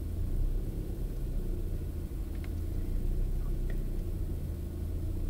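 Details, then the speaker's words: Opel Astra G 1.6 16V X16XEL, no fault codes, coolant 37°C rising: after choke ends idle rises and sags instead of holding, until coolant reaches 68°C; lambda sensor ruled out; hunting caused by faulty engine ECU. "Spójrzcie teraz zamiast zostać tak faluje sobie i faluje"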